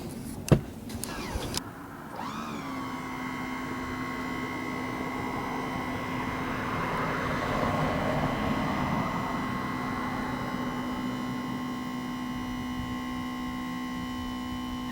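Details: 1978 Hammond PT 3 tilt motor after replacement, before bleeding the hydraulics: steady electric hum with a fixed whine starts, runs evenly about twelve seconds, then stops cleanly; normal motor run.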